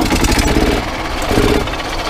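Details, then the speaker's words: Yamaha golf cart small single-cylinder engine after broken throttle cable replacement: with choke on, it fires and settles into a steady, even putter with a few throttle blips; runs normally. "So there's the choke. Hey, look at that, it fired."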